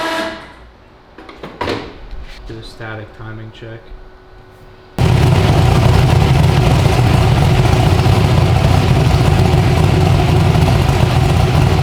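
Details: 372 small-block Chevy V8 in an original S10, on an LS tune file after timing was added; some clatter, then it fires at once into a strong, even, lumpy idle without misses or knocks. Normal idle.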